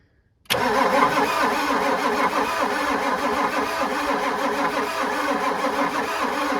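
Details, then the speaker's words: The starter drones evenly for several seconds on an old Ford turbo diesel truck that sat for years, and it never catches; a fuel line check while cranking shows no fuel, the lift pump has failed. "all right lift pump is bad yay yep that tells us that"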